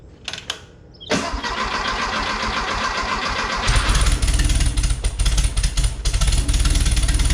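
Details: 1973 VW Beetle flat-four, freshly installed remanufactured Bosch 034 distributor replacing failed Pertronix, cold on choke: a few cranking clicks, then it catches and settles into a steady, even idle; healthy start.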